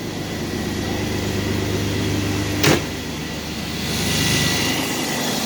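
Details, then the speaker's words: 2001 Chevrolet Blazer 4.3 V6 with 165k miles, after replacing a bad idler pulley: steady even engine hum with no belt chirp or squeal, one brief click; belt drive quiet, though the alternator bearing is reported as bad too. "no more noise well except for the alternator that's next on the list bearing the shotgun as well"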